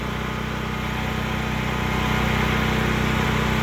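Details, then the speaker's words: Predator 8750 gasoline generator in enclosure shed, over 2 years after install, full tank, exhaust fan running: steady even engine hum with smooth regular pulse, no misses or knocks; running healthy, shed partly reduces noise. "This shed does a lot of help with the noise cancellation. I mean, it's not completely making it quiet, but it is helping reduce some of that noise."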